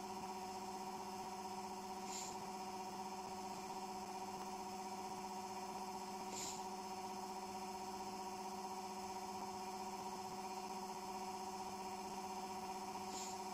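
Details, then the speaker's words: Generator with nanocrystalline cores, spinning off load: a steady, unchanging hum with tones near 200 Hz and a stronger one near 800 Hz. The owner attributes it to magnetic core resonance at certain speeds. "that noise is the magnetic field resonating with the core materials. It creates this, it's weird actually, it does this at different various speeds."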